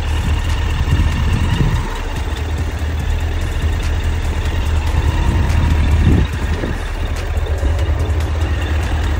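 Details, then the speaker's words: 2008 Suzuki GSF1200S Bandit, last carbureted version, warmed up, idling at 1,000 rpm: deep, even idle holding steady without misses or rattles; healthy idle. "то есть вот чекает уже прогрел 1.000 оборотов держит Звук вот такой он не шумит ничего не орёт"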